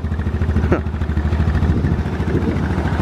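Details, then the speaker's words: Side-by-side (Rhino), cage and electronics still unfinished, running after start-up: low, regular thumping at a steady idle, about three beats a second, no knocks or misfires; it runs and drives normally. "but it is running it is driving and we have taken it out"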